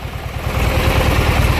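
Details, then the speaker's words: Junkyard Briggs & Stratton opposed twin, running on one breather despite pushing out oil; steady even low thump on both cylinders, no misses or knocks; normal smooth idle. "so got a good running Briggs"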